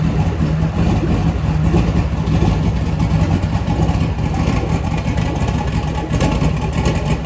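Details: LS V8 engine on a home-built run stand, fire-up before truck install: steady deep idle with even rhythm, no knocks, misses or stumbles; healthy.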